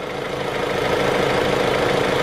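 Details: Jeep Renegade at full operating temperature (91 degrees) after an aftermarket radiator cooling fan replacement. Steady, even warm idle with no misses, knocks or fan rattle. The fan cycled on, cooled the engine and shut off, all normal.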